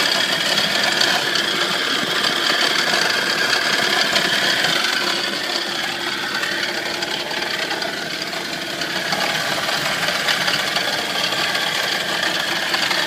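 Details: Nissan 240SX engine at a fairly steady idle: light tinny rattle in the upper range; source of the rattle unknown.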